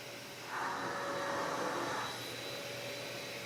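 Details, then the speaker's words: Hercules 12-gallon HEPA dust extractor running with self-cleaning on, in a shop that reads 45 dB at rest. A steady, even whoosh of airflow with no rattles or pitch wobble: normal, fairly quiet running. "A lot of sle quiet, too. It's not that loud."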